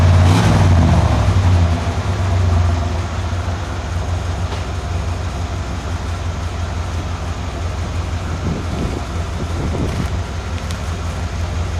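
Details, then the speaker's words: 1991 Cadillac Brougham, old exhaust with muffler fitted backwards and upside down and no resonator: heavy low boom swells as revs rise, then a pulsing idle beat. Owner thinks this beat contributes to the drone felt around 59 mph. "that distinctive beat that you see on the the meter I think is would kind of contributes to that droning sound"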